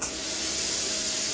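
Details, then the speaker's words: Same plasma cutter and torch in non-pilot-arc mode: pressing the button starts a steady, even air hiss with no arc crackle or buzz; nothing happens until the torch touches the steel. Normal airflow without arc. "see I'll push the button you can hear this ear starting up"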